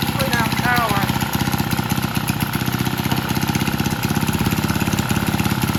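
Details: Vintage Lauson single-cylinder engine on a yard-sale jump starter, rope-pull started after transmission fluid was added and left overnight; steady even putt about eighty beats a minute, no misses or knocks. Owner suspects a valve wasn't seating. Normal running.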